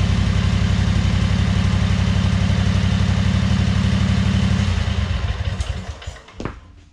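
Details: 2003 Wright Stander fixed-deck mower, 23 hp Kawasaki, after a fuel pump pulse hose was fitted: lumpy, pulsing low rumble runs a few seconds, then sags and dies. The choke and throttle cables are on the same linkage, working against each other.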